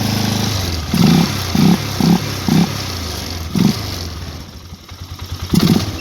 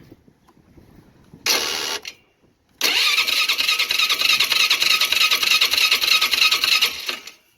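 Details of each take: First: Polaris Sportsman 500 HO ATV after the crank-no-start fix (ignition connector reconnected). It picks up cleanly on short throttle blips and returns to a steady idle with no misfire. It runs great and charges the battery; high and low range, reverse and 4x4 all work. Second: Polaris Sportsman 500 HO ATV, 661 hours, choke on, full tank, booster pack, no firing even with starting fluid: brisk even cranking for about four seconds; spark issue, crank no start.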